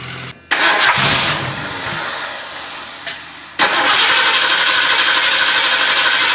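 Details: 1978 Ford LTD after starter replacement: new starter spins the engine in bursts about three times a second but it never catches or settles to idle; cranks but will not start.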